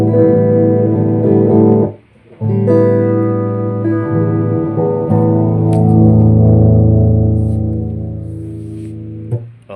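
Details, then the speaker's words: Yamaha bass powered speaker cabinet with built-in amplifier, after repair of humming and distorted, choked output: guitar notes now ring clean and full, with no hum or crackle. ">> Okay, clean na ulit yung tunog niya tapos wala ng garalgal. Maayos na nakakatunog yung mga speakers."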